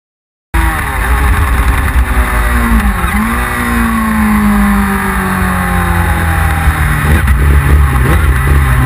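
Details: 1999 Yamaha R6 under load: revs climb unevenly and stumble twice with choppy, broken exhaust pulses; misfire, cause undetermined.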